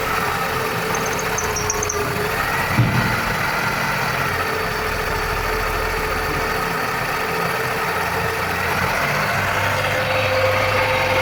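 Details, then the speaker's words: Engine running after replacement of the timing belt, tensioner/pulley bearings and V-belt: steady, even idle with a smooth hum and no tapping, slapping or belt squeal. Normal idle after repair. "şu anda Sistem çalışıyor Herhangi bir problem yok Allah'a şükür"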